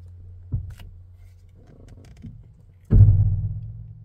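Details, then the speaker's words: Toyota jacked up in a garage with the engine off: a heavy boom-like clunk when the steering wheel is turned, worse when cold. The owner first suspected the steering shaft, but it was not the shaft. "all right I'm going to try to reproduce this noise it's a heavyduty clunk"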